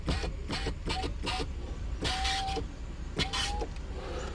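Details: Mercedes 300SL R129 after its roof control module was repaired, manual window down: a few quick relay clicks, then a smooth steady motor hum of about half a second per press, so the power window is working normally.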